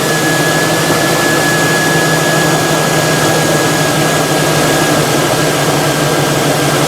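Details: 2002 GMC Sierra 6.0L V8, nearly 20 years old, at idle after the exhaust manifold's loose end bolt was tightened; smooth, even drone with a faint steady whine and no ticking, where it had ticked badly before the repair, especially under load.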